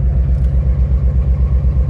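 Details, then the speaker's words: 2006 Nissan 350Z at idle during a cylinder power-balance test on cylinder 5: deep lumpy idle shakes with no rpm drop because the cylinder is not firing. Cylinder 5 coil was unplugged; cylinders 4 and 6 had swapped coil connectors. "vamos a ver el cinco ejecutar el test miren n más como tiembla Okay este tampoco está"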